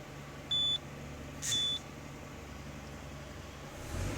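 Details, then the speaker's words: Citroën C4 2.0, hot idle, loses power and goes into limp mode when hot: two short high chimes over quiet idle; oil light goes out when revved, returns at idle, insufficient oil pressure, suspected camshaft bearing leak. Low oil pressure warning. "luz del aceite se apaga y cuando lo suelto se vuelve a prender la luz de aceite y que dice presión de aceite insuficiente o sea que el problema que tiene este motor es que tiene una pérdida de presión de aceite"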